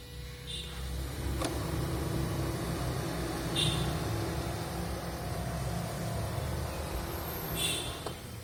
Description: Prius alpha 2015, 91k km ac Compressor noise. Its more noisy when outside temperature is very high.